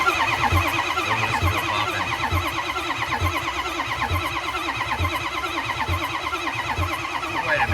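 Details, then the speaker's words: Ford 6.0 Powerstroke diesel no-start: steady rhythmic cranking at about one compression pulse per second, turns over freely but never fires; no oil pumping seen, low pressure oil pump suspected, not confirmed. "okay no oil pumping so uh where would we go from here guys"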